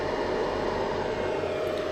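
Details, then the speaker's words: Easun iCharger 8048 MPPT solar charge controller (80 A version) at around 900 W: steady airy cooling-fan rush with a fixed tone near 600 Hz; the fan is loud, stops below about 400 W, and keeps the unit cool. Normal. "I wouldn't call it quiet, because it's much louder than these variants. But let's say it's not a problem if it's cool, because at least it won't break down, the cooling system will easily push it, if it wants to, if it can't."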